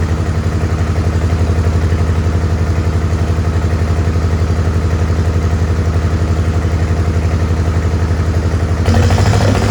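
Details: Farmall H tractor with a lumpy, uneven chuffing idle pulsing about four times a second, as if dropping cylinders. Carb not flooded and timing found not out; owner suspects the distributor, cause not confirmed.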